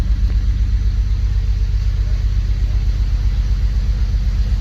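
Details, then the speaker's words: Honda Civic Si K20 with a newly installed Mercracing TVS 1900 supercharger, first start on a base map after long cranking and a backfire. Deep, uneven, lumpy idle rumble: rough running; owner suspects injector dead time, not confirmed. "it was just cranking cranking cranking maybe it could be the dead time it fell little rough I think that's probably what it is"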